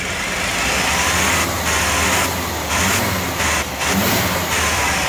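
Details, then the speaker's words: 1994 Ford F-150 with very poor acceleration, won't exceed about 20 mph: revs up fast and holds a loud hollow roar with abrupt dips, choked rushing exhaust; clogged catalytic converter or muffler. "so it goes up really fast that's a clogged catalytic converter or Muffler"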